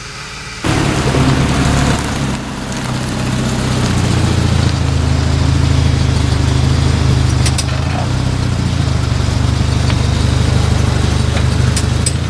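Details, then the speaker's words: 1993 Volvo 940 Turbo wagon after a brake job that fixed grinding and a hung-up caliper, with brakes bedded and fluid flushed: only even engine and road hum while rolling, no grinding, scraping or squeal. "did you hear that nothing"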